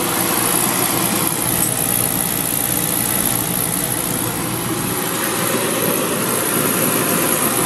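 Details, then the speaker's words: Beckett oil burner on a Honeywell R7284U primary control with a delayed oil valve. It pre-purges, sparks, and the valve opens and pressurizes. Then a steady, even roar with an airy rush and no puffing or stutter. Normal ignition and firing. "got our delayed oil valve is going to kick in in a minute there pressurizing now firing"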